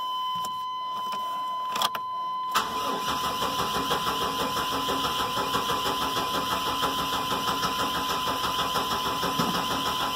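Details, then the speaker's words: Chevy truck with 4.3 engine, new battery, just over half a tank of fuel: strong, even cranking about three beats a second but never fires; fuel pump not heard priming, owner suspects failed fuel pump. "Cranks pretty good. Yeah, just over a half a tank of fuel. I do not hear the fuel pump. Usually you can hear those turn on. And I bet you that's what's wrong with this truck."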